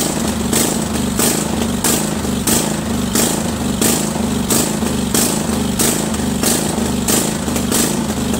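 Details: Craftsman 20.5HP 46" lawn tractor, Kohler Command V-twin, before carburetor cleaning: speed hunts up and down about every two-thirds of a second, surging badly at all throttle speeds; carburetor later cleaned.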